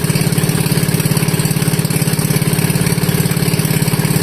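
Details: Wisconsin Model AB single-cylinder engine running on fuel from the tank, fuel petcock barely cracked, choke open, no muffler yet: loud, even popping exhaust beat at about 214 per minute, steady and regular; runs cleanly.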